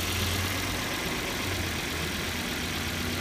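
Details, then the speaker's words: 2002 Volvo S60 petrol engine idling after replacing the PCV oil separator under the intake manifold, which had caused a whistling vacuum leak: even, steady idle, no whistle or hiss; runs good, no more vacuum leak. "Alright, the oil separator's been installed, everything's together. Runs good."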